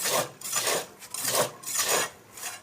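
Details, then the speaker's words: Motorcycle front fork (shock) that feels stiff and does not rebound, tested after assembly: a dry rasping scrape on each stroke, about five in three seconds, from the fork rubbing on a worn-out, missing protective pad that needs replacing. "Bantalan pelindungnya sudah hilang, kawan. Saatnya mengganti."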